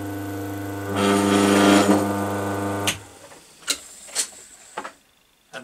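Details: Single-phase Crompton Parkinson induction motor after repair of its noise fault, pulley not yet fitted: smooth steady hum for about two seconds, then clean spin-down with no rattle or scrape; motor runs healthy.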